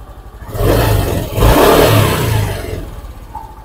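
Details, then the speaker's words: Honda Beat injection scooter whose starter worked only intermittently despite a new battery, after cleaning rusted starter relay terminals: starter whirs, the engine fires cleanly, revs up and settles; starts normally after the repair. "masalah kaki-kaki relaynya itu agak-agak kotor ya jadi dia itu berkarat teman-teman ya Jadi kita bersin aja dia jadi normal lagi"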